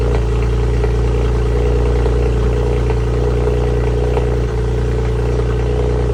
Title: N54 sounds like it’s misfiring on cold start